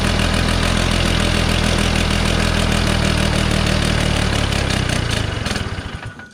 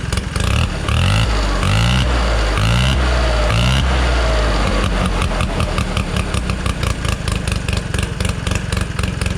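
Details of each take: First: 1969 Polaris Colt 303 Wankel rotary snowmobile after years of sitting, with a mouse nest in the muffler and the carb screws being adjusted. Uneven, loping burble with a ragged exhaust beat that dies off; it won't rev up and is running rich. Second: 1969 Polaris Colt 303 Wankel rotary snowmobile after years of sitting, reassembled after carb adjustment. It starts with a few throttle blips, then settles into a fast, even buzzing idle with no stumbling: normal running.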